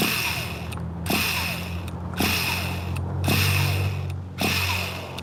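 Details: 2002 vintage Tamiya Terra Crusher 1/8 nitro monster truck, cold, known one-way bearing problems, settings just adjusted: starter whirs in repeated one-second bursts, engine never fires; owner unsure it's priming. Cause suspected, not confirmed.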